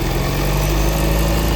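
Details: Volvo S90 after its irritating noise was fixed: steady, smooth, low idle with no squeal or chirp from the belt side, running quiet and even; normal idle.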